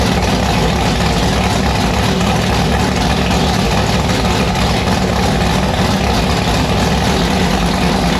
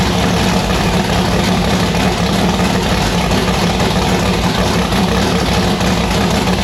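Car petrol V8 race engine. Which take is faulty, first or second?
second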